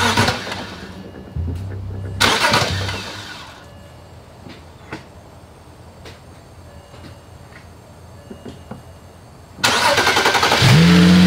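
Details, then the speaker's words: BMW 335i, earlier misfiring on cylinders 1, 2, 4 and 6: starter cranks in short bursts, then an even, steady idle with no stumble. Issue likely a faulty new high-pressure fuel pump. "Well, I don't want to speak too soon, but it looks like the issue was the new high pressure fuel pump."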